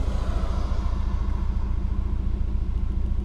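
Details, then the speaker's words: Subaru boxer while driving with a P0303 misfire: a deep, uneven, stumbling rumble and heavy shake through the steering wheel. Caused by a failed cylinder 3 ignition coil pack. "there's some serious Shake going on right now this is just resting on my steering"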